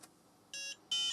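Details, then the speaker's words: Book8088 laptop (8088 IBM PC compatible), intermittent no-start: faint click, short high beep then longer steady beep when a socketed chip is pulled toward him; bad socket suspected, intermittent startup fault. "if I pull it towards me the system pretty much works if I if I push it away from me it does not work I'm really wondering if this is just a bad socket"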